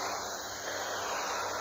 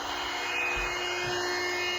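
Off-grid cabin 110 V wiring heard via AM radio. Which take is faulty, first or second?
second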